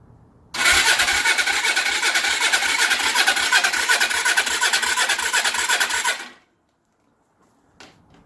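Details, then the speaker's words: Suzuki GS450 motorcycle after new starter solenoid fitted: starter cranks steadily about three turns a second for over five seconds without firing; owner suspects no fuel reaching it and plans to check the carbs. "it moves I'm gonna give it a rest I'm gonna turn it off I don't think there's it's getting gas so I'm gonna see what's going on with the carbs"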